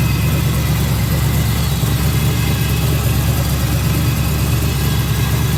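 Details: Twin-turbo LS V8 in a Chevy II Nova, pump-gas build making about 800 hp on the dyno, with stainless headers and exhaust: deep, steady, lumpy idle burble with even firing and no knocks or ticks; healthy engine running well.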